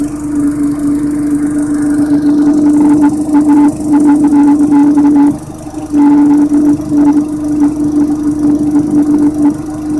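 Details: Audi TT petrol engine idling: steady hum with an odd buzzing intake noise, which appeared after installing 20v camshaft and Audi R8 TFSI coil packs; it runs normally with no VCDS fault codes; cause unknown.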